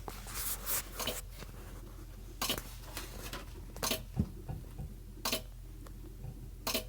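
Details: GE refrigerator: quiet hum with sharp irregular clicks every second or two from the back, starting right after ice was dumped from the ice maker tray and put back; cause not pinned down.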